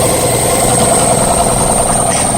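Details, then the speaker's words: Old Camel Hossfield air compressor, about 20–25 gallon tank, auction find with water drained from it: loud, steady motor-and-pump drone with an even chug and no knock or squeal, pumping up cleanly; cuts out near 120, restarts near 100; leaks underneath and at the air filter. "Alright guys, as you can see, this thing works pretty well."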